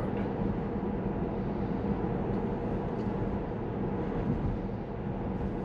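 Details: Tesla on FSD Beta at cruising speed after replacing worn tires with 4 mm front and 3 mm rear tread; steady, even tire hum and road rush with no thumping, roar or rhythmic noise, tires sounding normal and quiet.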